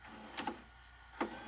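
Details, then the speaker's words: Magnavox CDV220MW9 DVD/VCR combo from 2011: the VCR tape mechanism clunks harshly in pairs of sharp mechanical clacks. Cause unknown. "that sounds horrible i don't think that's how it's supposed to sound"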